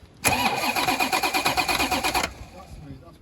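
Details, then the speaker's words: Corvette C4 ZR-1 under restoration, starter test with plenum removed, masking tape removed before this attempt: about two seconds of even rhythmic cranking with steady compression beats, no firing; normal cranking. "that sounds all right doesn't it go [Laughter] again that sounds pretty good I think mate I'm well happy with that"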